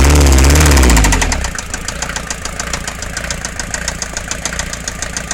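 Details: Mercedes Vito 108D 2.3 non-turbo diesel, after new head gasket and piston rings, smoking at times: sharp regular knocking about four per second over a rough idle after a loud first second; cause undiagnosed.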